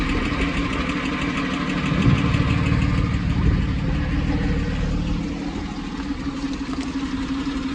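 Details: Porsche 911 996 C4S cold start after long standing in cold weather: light quick tick over steady low rumble, suspected noisy lifter/tappet; occurs occasionally and clears once engine reaches temperature.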